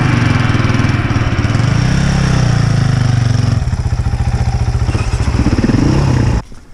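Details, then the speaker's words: Enduro dirt bike ('Kato') on a trail ride, already known to be running rough: lumpy, uneven engine note sags and stumbles, then dies after about six seconds. Rough running and stalling, cause unclear. "And his bike keeps stalling, and I'm wondering if we're going to get stuck out here."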